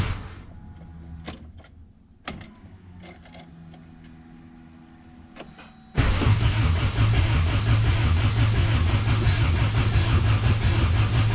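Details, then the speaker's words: AWD B-series hatch on an OEM ECU without distributor: steady cranking about three beats a second, never catches; owner believes coil wires inside the ECU were disconnected when it ran another boosted hatch, so no spark. "inside the ECU there's um there's some wires that are for the coils and if I am 100% correct I disconnected those when I was running it on the boosted hatch"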